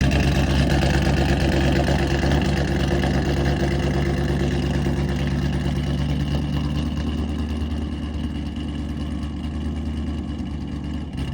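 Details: Chevrolet Corvette C7 Grand Sport V8 idling with a lumpy, uneven beat and irregular stumbles from a severe misfire; the owner plans a shop scan for history codes.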